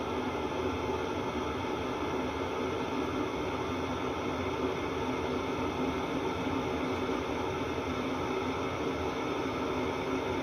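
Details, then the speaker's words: 8 kW 28,000 BTU diesel air heater in a 1986 Fleetwood Prowler 23P travel trailer, run without muffler after startup; steady even rushing roar, no misses or surging, loud but healthy; normal running. "alright so that is as loud as it's really gonna be with with the furnace and the muffler and slider on"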